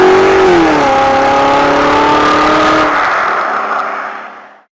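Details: Ford-based kit car with 1800 Pinto engine and Weber 32/36 DGAV carburettor on the dyno, after fixing a misfitted fuel return line and badly off ignition timing: clean rising note, steady under load, winding down smoothly with no bogging.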